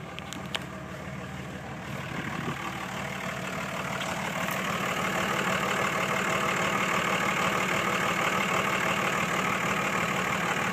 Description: 2006 cummins rough idle when warm